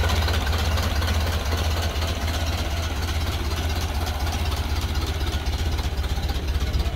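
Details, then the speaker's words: Ford Model A off the road for 65 years, running with fresh fuel after ignition wiring fixes and partly choked: deep, even low thump at about four beats a second with no knocks or misses; a healthy slow idle. "I don't know, it's idling really nice. I don't know, these things idle pretty low like that. Yeah, it sounds good."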